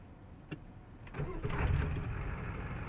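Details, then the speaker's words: 1993 Ford 7.3 IDI diesel, used replacement engine that ticks: starter spins it unusually fast, about four even beats a second with little compression load; owner suspects low compression, not confirmed. "it cranks really fast, faster than I've ever seen. So maybe that's lower compression."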